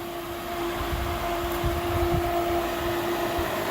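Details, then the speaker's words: Pool Pentair cartridge filter being primed after a cleanout: a steady pump hum with a constant whooshing hiss of air escaping the filter bleeder until water comes out; normal priming. "We want all the water to push in and push all of our air out this bleeder. In a second, you're going to hear it start hissing. We're going to let it hiss until water comes out, and when water comes out, we're going to close it."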